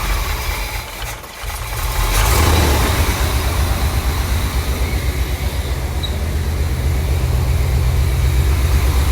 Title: ￼79 l82 corvette rough running cold start cranking cadence